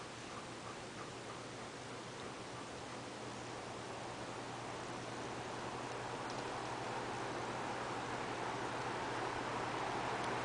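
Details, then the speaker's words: Lakewood HV-18 box fan (1991–92) after first motor bearing oiling, on low speed: soft steady air rush over a faint even motor hum, no squeak or rattle; runs smooth and healthy, moving objects around. "Even on low speed, it's flapping that box around, plants, and the insulation on the windows. Sounds good."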